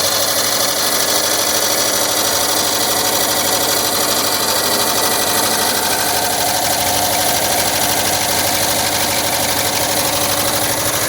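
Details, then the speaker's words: 1979 VW Westfalia, rebuilt engine with new Porsche lifters, after its cold start: even, fast, light clatter at a steady idle. Lifter ticking is much reduced, and it runs like a sewing machine with no knock or stumble; normal warm idle. "still hear the ticking bud nowhere near as bad as when it first started and now it's sounding more and more just like a sewing machine"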